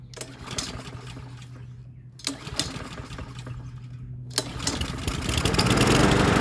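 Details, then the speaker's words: Troy-Bilt TB130 push mower, Honda GCV160, after replacing the dead E3 spark plug, no choke: two pulls die, third catches and settles into a steady even chug; starting and running normally. "I switch to spark plug I bet you it starts I'm going to try without the choke"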